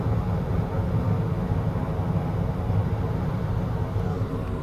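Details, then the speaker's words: York 5-ton HVAC unit after replacing draft motor, ignition module and transformer: ignition module clicks, draft motor runs, pilot tube lights then main burners; steady low even rumble with no popping or surging, normal firing. "that's why there's a delay between where you hear the the click of the ignition module and then the flame come through oh draft Motors going a pile of tubes lit I could see the flame and then main ignition right there"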